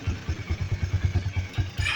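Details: Honda CB150R with a starter that won't work, idling in neutral after the dynamo checked normal with no short; even thumping with no misfires or clatter, running smoothly.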